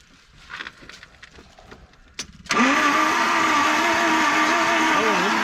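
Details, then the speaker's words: 1978 Ford Courier mini truck, sitting buried for 29 years, cold day around 25°F: on a charged battery the engine turns freely but cranks slowly, spitting out Marvel Mystery oil, with a steady whining crank and no firing; cranking, no start. "yep oh yeah this turn ain't fast enough to cranky though is it I don't know I mean it's free and it's spitting the Marvel Mystery all out hit it again"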